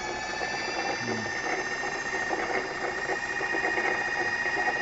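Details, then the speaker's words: Electric motor after bearing and seal replacement, running in reverse: a smooth, even high whine at one pitch with no grinding, rumble or clicking; bearings healthy, normal running. "vemos acá marchan reva motor funcionando perfectamente no hay ruido extraño es el ruido limpio de él"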